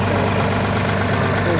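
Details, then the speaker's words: Mitsubishi MT20 four-wheel-drive Japanese mini tractor diesel with 517 operating hours, idling outdoors in snowy weather; even steady clatter with no misses or knocks, engine runs smoothly. Normal diesel idle. "теперь чего сложно наработка данного трактора составлять 517 работать часов двигатель работает ровно"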